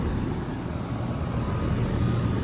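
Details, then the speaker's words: 2014 American Standard outdoor air conditioner with a Gentech fan motor, running cold and sweaty: smooth even low compressor hum with steady fan rush, no knocks or rattles; an Alliance scroll compressor judged by its sound; working great, normal. "This unit is working great for a 2014 unit. It sounds like an Alliance. This unit's got an Alliance scroll. That's what the sound is. Alliance scroll compressor."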